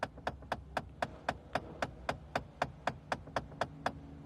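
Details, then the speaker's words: Rapid, even plastic clacking behind the dash when the A/C knob is moved: blend door actuator motor damaged internally, stripped plastic gears spinning freely. "Ahora aquí qué ha pasado el motor internamente se ha dañado y como esto lleva unos engranajes de plástico adentro el motor está girando libre cuando nosotros movemos esa perrilla y el plástico empieza a hacer esto por eso el sonido como poseído por el demonio"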